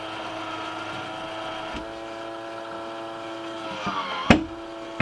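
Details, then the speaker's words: MaxxAir MaxxFan 4500K RV bathroom roof vent fan: steady motor hum broken by sharp loud clicks from the failing automatic lid operator mechanism, which needs replacement. "the clicking noises are you're hearing from your max then deluxe rook that actually means you need to replace the operator mechanism"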